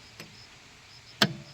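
A faint tick, then one sharp clack as the starter contactor pulls in over a quiet background; normal auto-start engagement.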